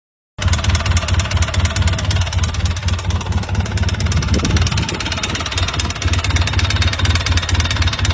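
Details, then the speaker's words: Polaris Sportsman 800 ATV, about 5,000-6,000 miles, ingested dirt: steady hollow knocking at idle keeping pace with the engine; piston slap from a badly scored piston skirt, needing new piston and cylinder. "As you can see, piston's been slapping. That was our noise."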